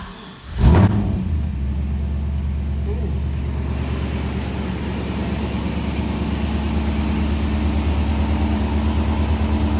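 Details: LS-swapped F-body car after a crank-no-start traced to a blown fuel pump fuse, replaced with a 15 A fuse: a short crank, then the engine catches and settles to a smooth, even low idle with no stumble or knock.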